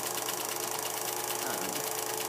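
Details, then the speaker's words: Vintage Kodascope Eight 90 8mm movie projector from the 1950s, projecting film, sounds like a jet engine and gets very hot: loud steady fan roar, fast even motor flutter, faint clean tone; running normally. "so it sounds like a jet engine getting ready to take off it gets incredibly hot"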